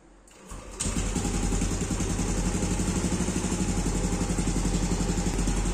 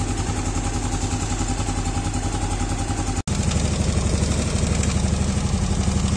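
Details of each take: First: Yamaha Aerox scooter catches and settles into idle with a light, regular ticking over the putter, mild while cold; it grows to a rattle when warm and disappears on throttle. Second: Yamaha Aerox scooter after valve clearance adjustment, rocker arms found fine: steady, even putter with a quick regular beat, no ticking clatter left; normal idle.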